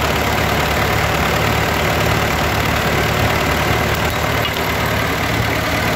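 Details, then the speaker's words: Ford 8N tractor, warmed up, after governor adjustment and carburetor rebuild: slow even low-pitched idle at about 740 rpm, no misses or knocks; idle mixture screw about three quarters turn out, slightly richer than book. "I'm sitting here at idle at about seven four is just crazy slow this sounds plenty slow over anything I need to do"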